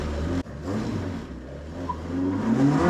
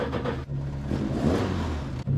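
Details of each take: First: Ford Escort Mk1 with ST170 engine, just fitted new gearbox and paddle clutch, one spark plug suspected bad; revs climb then fall slowly instead of snapping back; hanging revs, owner suspects throttle cable adjustment too tight holding throttle off idle stop. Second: Ford Escort Mk1 with ST170 engine, on shakedown after new gearbox and paddle clutch; after throttle cable readjusted to mid-adjustment, short throttle blips drop cleanly back to settled idle without hanging; normal return to idle.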